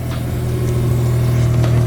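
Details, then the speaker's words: Engine just reinstalled (V6 kept stock per owner, low-kilometre unit of about 150,000 km or less), first start after the car sat about 2.5 months: deep, smooth note rising evenly with throttle, no ticks or knocks, no blue smoke. Normal, healthy rev. "Yep. It's running healthy now. No blue smoke, guys. So I think we've got this engine right. There was no issues with this."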